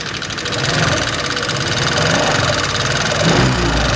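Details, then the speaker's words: 2018 Honda Vario 125 FI scooter idling, rough with light rapid metallic ticking from the engine front/head, heard before any teardown; loose valve clearance. "pada suara motor Vario 125 FI ini terdengar suaranya menggelitik ya teman-teman gelitik-gelitik seperti itu"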